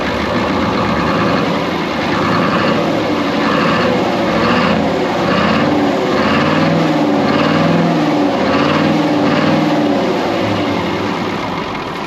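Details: Brockway 358 truck, Cummins 555 diesel, after valve adjustment and tightening loose injectors and intake valves: steady idle, even slightly lumpy beat, smooth drone, no clatter or ticking standing out; healthy, much better than before.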